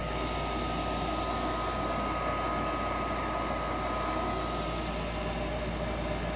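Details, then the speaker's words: Goodman furnace with a faulty motherboard (3 flashes, inducer not starting), inducer motor bypassed by touching its exposed power wires together at the second relay click: constant whooshing hum with a faint steady whine as the draft inducer runs evenly. "And at the second click, you put that wire nut and touch it together, and it'll ignite. This is how you bypass it."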